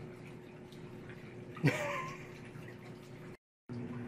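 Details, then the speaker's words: Auertech 28lb mini twin tub portable washing machine, drain primed to start the siphon: gurgling gush as siphon catches, then steady low trickle of water out; normal siphon draining. "there is a pump you just need to prime it first so get the whole siphon principle just make sure it goes through the first time and once it starts it'll continue popping out there you go"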